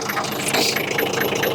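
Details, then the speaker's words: 1980 Leyland Terrier diesel water truck, six-cylinder around 5 litres (owner unsure), revived after long storage; even, steady diesel clatter at idle, no misses or knocks, sounds like a six-cylinder Toyota Land Cruiser; normal idle. "sounds like a six cylinder Land Cruiser Toyota it's not but sounds like it"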